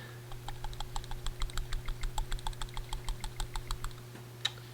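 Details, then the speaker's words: 2001 Honda Insight PCV valve, removed and partly cleaned with brake cleaner, shaken by hand: light dry clicks, ball only faintly rattling, still somewhat stuck; sticking PCV valve. "so after a little bit of cleaning you guys might be able to hear that the ball is at least somewhat loose now"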